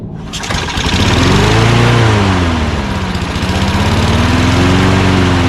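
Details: Toro Recycler mower with Quantum single-cylinder engine, primed and started during refurbishing: catches after a brief crank, then settles into a steady, even run with a gently wavering governor note; normal start and run.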